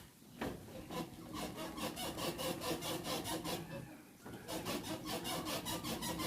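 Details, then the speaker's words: Parked car's rear suspension pushed down by hand with engine off: rhythmic creaking squeal, about two strokes a second, from dry leaf spring leaves rubbing; also noisy on rough roads while driving; fix is greasing between the leaves. "है यह कुछ इस किस्म की आवाज है कि यह आवाज यहां से आ रही है इसलिए स्पिनरों से है"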